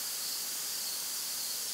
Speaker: when you can hear the leak you know it's bad and you know it's probably been expensive i'll take off my microphone and bring it over here tell me if you guys can hear this can you hear that slight hissing sound there